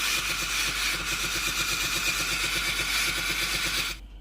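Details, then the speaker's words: Philips GC7051 pump-type steam iron after replacing the clogged water hose: hotplate hot, steam button pressed, a fast even buzzing rattle from the small water pump with a steady hiss of steam, stopping cleanly; normal pump operation restored. "ทำการกดปุ่มจ่ายไอ้น้ำนะครับตอนนี้ไอ้น้ำออกนะครับได้ยินเสียงปั๊มนะครับผมแล้วได้ยินเสียงไอ้น้ำออกนะครับ"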